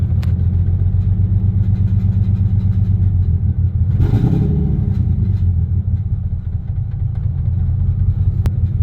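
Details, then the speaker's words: Toyota Tacoma X-Runner after a burnout, idling low around 500 rpm with scan tool attached: very low, lumpy, stumbling idle, owner hoping it is only exhaust rattle; codes later showed cylinders 1 and 5 misfiring; misfire at idle. "Oh, that don't sound good. Please be the exhaust. Please be the exhaust rattle. They're not cheap sounding noises."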